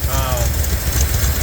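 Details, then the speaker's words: Truck V8 brought back to life with the AC components removed, running under its own power on a late, cold evening: deep, even low rumble with a steady beat and no knocks or misses, a healthy idle. "all right as you can hear uh this motor's back alive the AC stuff is gone out of the way for now"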